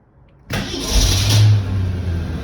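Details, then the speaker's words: 1965 Ford Econoline van, first start after Autolite 1100 carburetor replaced by Holley Sniper EFI: starter catches at once and settles into a steady, even low rumble with no stumble; drops right into a beautiful idle. "sounds oh nice just drops right into this beautiful idol"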